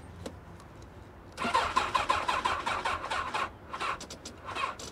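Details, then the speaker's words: Sport motorcycle ("crotch rocket") with bent forks at a salvage auction: uneven starter whirring in short pulses about three per second, nearly fires but never catches; cranks but won't start. "you hear it she wanted to fire up she wanted to fire up come on girl"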